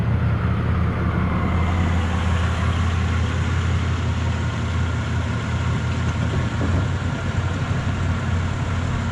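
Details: Impala idling after a shop replaced the holed, broken exhaust pipe, heard at the tailpipe: deep steady low rumble with no ticking, rattling or puffing from a leak, much quieter than before; normal exhaust idle after repair.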